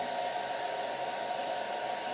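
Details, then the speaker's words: Small cooling fan for IMAX B6 charger on DIY thermistor speed control: as temperature rises, thermistor feeds more current and fan spins faster; steady airy whoosh with constant whine, no rattle; fan at high speed. "the temperature goes up and you hear the fan is going faster and faster because the thermistor it's sensing that the temperature is going up and puts more current to the farm"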